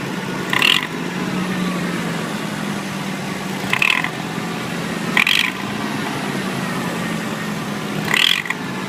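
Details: Nissan 300ZX twin turbo idling: short metallic rattling bursts roughly every 1.5–3 seconds from behind the engine on the driver's side; source not found.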